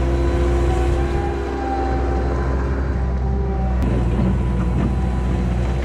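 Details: 1999 Bobcat 864 tracked skid steer under load after installing a rebuilt right-side drive motor (old one barely moved when turning or climbing): deep even engine and hydraulic drone, faint whine rising now and then; drive smooth and strong.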